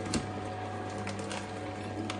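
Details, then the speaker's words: Kuvings B1700 cold press juicer after DIY repair of its non-working forward switch (reverse worked), juicing three mosambi into a glass without attachments: even low motor hum with light fruit clicks, running smoothly without strain; repaired juicer working normally. "क्या बात है guys, juice भर गया। ये काफ़ी सही काम करते, देखिए ये अपने आप मशीन ने पूरा जूस शुरू कर दिया है इधर।"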